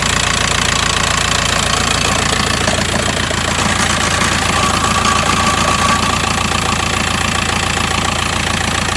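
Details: 2008 VW T5 1.9 TDI diesel at idle with an even, fairly regular rattle about two per second running through it; source not pinned down, owner asking what it is.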